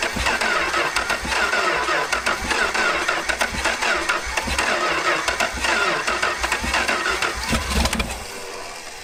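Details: Long-dormant engine during a revival, fed carb cleaner: starter cranks, then it catches in ragged, uneven bursts that stumble and die away. Seems to need more fuel and choke; cause not confirmed.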